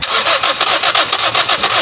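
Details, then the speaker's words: Toyota Vios that died while driving, fuel pump assembly already replaced, fuel line opened to check flow while cranking; even fast cranking that never fires, fuel comes out weakly; crank no-start from weak fuel delivery, pressure should be 40–50 psi. "Ah merong nalabas oh. Sige isa pa. Op. Pero parang mahina eh. Ayan mahina."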